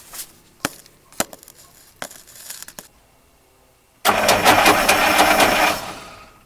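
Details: 1953 Oldsmobile Rocket Super 88 barn find with carburetor issues, accelerator pump just worked on, starting with the pedal instead of pouring gas down the carb; after clicks a harsh, ragged starter crank with uneven chatter, the starter sounds bad.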